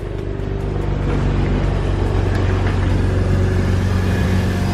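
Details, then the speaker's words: 2004 Mazda RX-8 6-speed rotary, started on a tack-welded flywheel with a smoked clutch: smooth, fast, even buzzing idle with a steady drone and no knocks or misses; engine healthy, needs only a clutch and flywheel. "wow motor sounds healthy that's awesome so it just needs a clutch huh"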